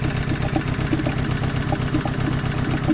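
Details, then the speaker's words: Chevrolet whose engine had hydrolocked, started by pushing the car backwards in fifth gear: uneven idle with irregular pulsing chuffs and air blowing into the coolant; suspected repeat head gasket failure. "now when i turn it on listen to this it doesn't work and it makes it sound and it's blowing"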